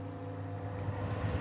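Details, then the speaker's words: Air conditioner that died on a hot day, fan motor after swapping in the start capacitor from a second unit: a smooth, even low hum that starts and keeps running with no stalling or labouring; the start cap was the fault. "Ha! It's alive! It was the start cap."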